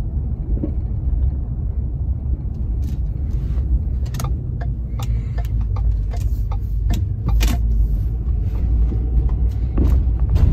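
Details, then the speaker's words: 2010 Ford F-150 4x4 driving over small bumps: hollow thunks and clunks from the front passenger side over road rumble, caused by a loose joint in a stabilizer bar end link, replaced. "it's kind of that thunking sort of hollow sounding noise hopefully that shows up in the video"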